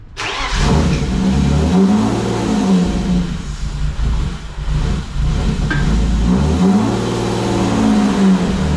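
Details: BMW E36 that keeps dying at idle, after replacing the PCV and disconnecting the battery: engine catches and revs, then the idle sags and hunts unevenly as if about to die; owner suspects the MAF; rough idle.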